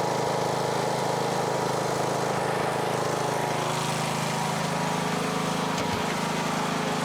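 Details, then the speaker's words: Briggs & Stratton single-cylinder on a Husqvarna riding mower after replacing camshaft with failed decompressor that made it crank like a dead battery: starts very easily and ticks over at a steady even idle with no misses or knocks. "see if we're going to click from this one right here we do you ready and it idles dark nice dude very easy"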